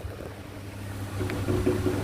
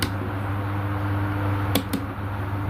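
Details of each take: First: Sharp electric fan, fairly new, running on speed 1 and reported noisy: low steady motor hum with faint uneven knocks and scrapes, as if something is rubbing inside; cause not yet found, rear housing removed for inspection. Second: Sharp electric fan after disassembly and reassembly to fix an internal knocking noise, speed 1: steady low motor hum with light taps, no knocking; knocking gone, normal fan running.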